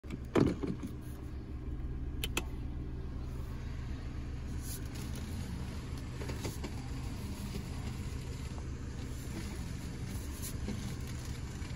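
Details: Creaking noise when turning the steering wheel at standstill and very low speed on a 2021 Mazda3 with 8K km, only in Drive; brief creaks and squeaks rise over steady engine idle.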